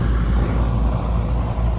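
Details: Daikin package unit with only a steady compressor drone and no indoor blower (motor not running or warm, no G call). The evaporator is frosting up, and the blower's 240 V wire was found disconnected.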